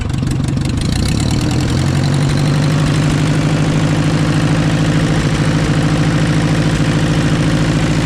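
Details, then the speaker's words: 1944 Ford 2N tractor, first start after a carburetor clean-up and a temporary drop tank fitted. It holds a steady low idle with a light, fairly quick tick or tapping over it. The owner says it sounds ticky; the source is unconfirmed. "boy listen to this he just I don't know it sounds Ticky to me it really sounds Ticky"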